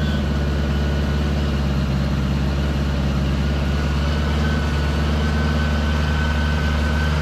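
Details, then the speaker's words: 1975 Honda Gold Wing, 32,000 miles, new Dynatek electronic ignition and coils, warming up before carb sync; choke pushed fully in, almost no throttle cable play. Flat-four holds smooth but fast steady idle that won't settle. High idle, cause unconfirmed. "I wonder why it's idling so high I push the choke all the way in there's almost no play in the throttle cable"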